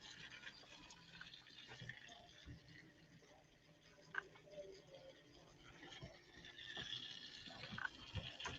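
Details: Freshly filled custom water-cooling loop with EK Phoenix 280 radiator in a Cooler Master NR200 ITX build, pump powered from a separate supply; faint irregular gurgles and trickling bubbles over quiet pump hum as trapped air bleeds out.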